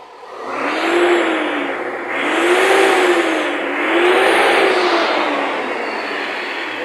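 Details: Chevrolet NQR truck that would not rev, after fixing a poorly contacting fuel pump connection: engine climbs smoothly through several rev rises and drops back cleanly without hesitation; acceleration response normal.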